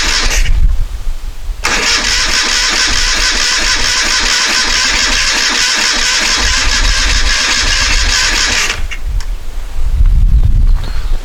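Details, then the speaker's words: 1973 Moto Guzzi motorcycle, first start attempt after decades off the road, carburetors cleaned and tickled: starter spins the engine steadily with even compression pulses but never catches; spark confirmed, so fuel delivery is suspected as the cause. "we can verify that by turning the switch off we don't so i guess we suspect fuel we don't have fuel"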